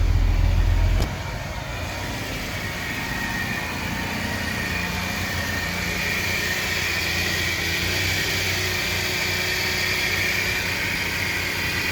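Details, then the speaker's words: 2007 Hyundai Veracruz petrol engine idling outdoors, growling on startup with a rough steady growl and faint whirring from the front belt area; cause found to be a failing idler pulley bearing, fixed by replacing the idler pulley after a serpentine belt replacement. "so it looks like the problem was the idler pulley um making some type of growling noise"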